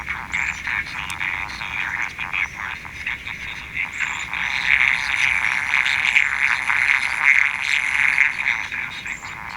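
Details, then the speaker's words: Houthitone transistor radio under repair: thin, harsh, crackly sound with no bass; distorted audio output, speaker ruled out, output stage idling 11.9 mA, cause not found. "like something's shorted like the speaker is shorted"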